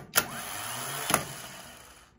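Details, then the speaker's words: Delco Remy 29MT 12V clockwise starter off a skoolie, bench-tested: two sharp clicks with only a brief faint whir; the solenoid has failed internally and isn't making the electrical connection to spin the motor. "okay so this has failed internally it's not making the electrical connection we would hear the buzzer buzz and it's not buzzing"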